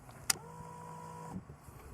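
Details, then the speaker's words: Fuel-injected motorcycle after winter storage, ignition switched on without cranking: sharp click then an even buzzing whine for about a second, stopping cleanly; normal fuel pump priming, and its absence would suggest a fuel pump problem. "That's your fuel pump supplying fuel to the system. If you don't get that, you may have a fuel pump problem."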